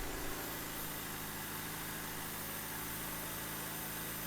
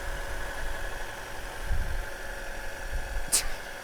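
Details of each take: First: 2000 Honda Civic hatchback (EK), 103,000 miles, fully warmed up after sitting five years: smooth, steady but noticeably fast idle with no hunting; stabilized once the radiator fan kicked on but still extremely high. Owner suspects a coolant-driven idle control valve. High idle. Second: 2000 Honda Civic hatchback (EK), 103,000 miles, started after sitting five years: steady, even low idle with no knocks, misses or whine, one brief click near the end; running perfectly fine, normal idle.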